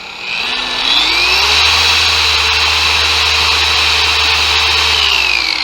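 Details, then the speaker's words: Bauer 56367 20 mm orbit DA polisher after the fix, upgraded backing plate and fresh high-quality grease: the whine climbs smoothly to a steady high speed and holds even, with no shaking rumble; night-and-day smoother and balanced. "wow that is night and day difference"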